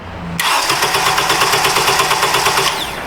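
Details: 2006 Honda Accord 2.4 with a replaced starter/battery harness after a corroded positive cable caused massive voltage drop: strong, even starter whir with steady compression pulses, no clicking or dragging; starter cranks healthily.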